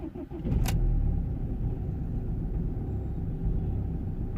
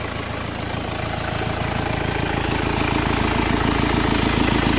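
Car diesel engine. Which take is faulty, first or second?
first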